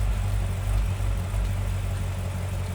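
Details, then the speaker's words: Chevrolet C6 Corvette ZR1, supercharged 6.2 L LS9 V8, damaged car under repair, just started with good oil pressure and vacuum: a deep, smooth, steady idle with an even low rumble and no ticks, knocks or misses; engine sounds good, though the cooling-system fix isn't working too well. "cooling system fix isn't working too well. Everything sounds good though."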